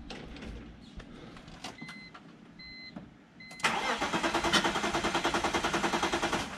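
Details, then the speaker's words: Previously non-running car after a crank sensor fix, injectors confirmed spraying and fresh gas added: warning chimes, then it cranks, fires and settles to an even, steady idle with smooth revs; a likely loose fuel-rail part was also disturbed. "There we go! Hell yeah. Rev's beautiful. Smooth."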